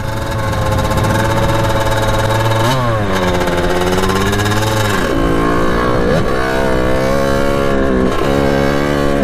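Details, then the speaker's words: 1989 Kawasaki KX80 big bore two-stroke, ridden through the gears after jets were replaced: soft low pull, then screaming up top; power arrives very late. Jetting down helped; owner suspects it may now run lean. "see how it's a weird power band see it's crazy Torquay now but that's the ride on that thing so obviously going down and jets did help it on it might be running to lean though I'm not sure but the power back kicks in very very soon or very late so that's the only problem we're having with them now"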